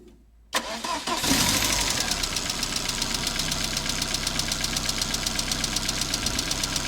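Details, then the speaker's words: Ford Fiesta MK1 Zetec project, original scrapyard engine that arrived incomplete: cold start catches, then a sharp light tick about four per second over idle, present since purchase; owner suspects ticking valves, unconfirmed; engine later replaced. "So it's been making that horrible, horrible ticking noise ever since I really bought it. I have a feeling I know what the problem is, and that is the valves that are ticking."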